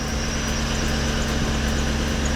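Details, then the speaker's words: Chevy Tahoe at idle, fitted with a non-factory belt that is tighter than specified: a thin, constant high squeal over a steady idle. Finding: serpentine belt squeal; the factory belt is to be refitted. "Actually, I need to change that belt. That belt is a little tighter than it's supposed to be. I got the factory belt to go back on it, but it is a numbered belt that's supposed to go on this, and then you won't hear the squeal."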